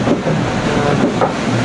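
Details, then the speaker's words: Vendee Globe 2004-5 yacht after keel ram failure, keel lashed, lived with for 4,500 miles and worse tonight: loud continuous rough grinding with low groaning under hull noise, front keel bearing wearing on the main pin. "I'm not sure if you can hear that gut-wrenching sound in the background, but that's the keel, the front bearing of the keel wearing on the main pin, and we're"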